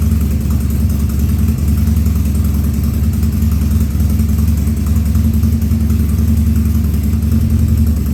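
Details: 2000 Harley-Davidson 1200 Sportster V-twin, first start after carb rebuild and leak fixes, air cleaner off: low idle with irregular stumbling beat and occasional coughs; running a little lean.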